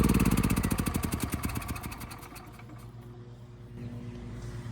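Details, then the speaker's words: Westinghouse 7,000-watt generator after repair, started on electric start: quick run of strong firing pulses as it catches, then a steady, even hum; starts cleanly and runs smoothly. Normal start and idle. "The electric start works quite well. Of course, the engine still is running nice and smooth, so I think we're done here."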